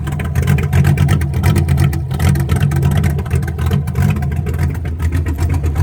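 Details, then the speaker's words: 1966 Toyota Stout truck during rebuild, running off its flushed fuel tank with a new filter, some air in the fuel line, warming up: deep, even rumble rising and falling with throttle blips, no knocks or misses. "got a little bit of air in there batteries charging but be careful because she is getting warmer [Music] sound good i love that sound"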